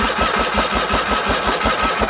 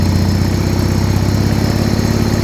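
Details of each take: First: Original 1980 John Deere 317 lawn tractor, not run in about 3 years after an electrical fault: even starter chug, about six beats a second, never catching; cranks but no spark, battery 12.5 V, 9.8 V at points, a wire later replaced. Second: 1980 John Deere 317 garden tractor, not run in about three years, started with the fuel tank pressurized and choke applied: the single-cylinder ticks over at a steady, even low thump with no misses or knocks; a healthy settled idle.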